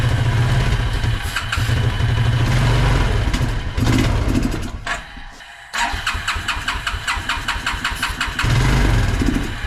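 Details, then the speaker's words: Suzuki King Quad ATV, believed a 300 from 1995–97, left outdoors for years; after lighter fluid sprayed into the intake it catches, runs rough for seconds, dies and recranks; not drawing fuel, engine not seized, carb clean needed. "it's not sucking in gas up let's just run along on this engine's not locked up just got to give it a carb clean and might be good to go"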